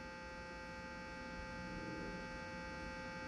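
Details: 1968 Sears Silvertone console stereo, street find: a steady mains hum with a high buzzy edge; one channel's output is about half the other's, and the owner suspects the output capacitors, unconfirmed.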